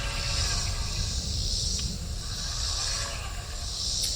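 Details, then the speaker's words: Telescope mount with a suspected dead RA motor, after a power cycle: thin high whir pulsing about a second apart as it moves in declination, smooth and even; Dec motor working. Normal motor slewing. "first thing I want to do is I want to move it and deck that's this direction as you can hear and see it's moving"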